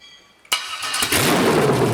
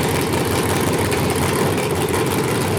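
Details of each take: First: 5.3L LS truck engine on MegaSquirt 2 with a newly wired stepper idle air control valve, during IAC tuning: fires up, revs briefly, then settles smoothly to a steady even idle with no hunting; normal idle. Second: 5.3L LS truck engine on MegaSquirt 2 with stepper IAC, steady idle drone stuck at a raised speed and not dropping to target; owner suspects engine not warming enough, coolant-temperature hysteresis setting questioned.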